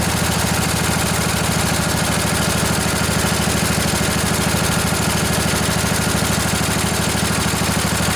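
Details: Briggs and Stratton Intek twin-cylinder 20-25 hp riding-mower engine, junkyard engine left outdoors in mud, snow and rain, first start after sitting on a weak battery: even, steady low putter at idle, no misses or knocks, a little smoky; normal idle.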